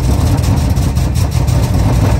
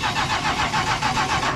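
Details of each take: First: 1977 Chrysler Town & Country big-block after replacing pinholed metal fuel line, running off a gas can: deep, steady rumble with even beat, no misfires, knocks or stumbles; clean normal idle. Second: 1977 Chrysler Town & Country wagon with a 440 V8, abandoned and being revived on a borrowed battery: strong, even cranking at about seven compressions a second that never catches. It is a healthy crank, but it doesn't seem to be getting fuel.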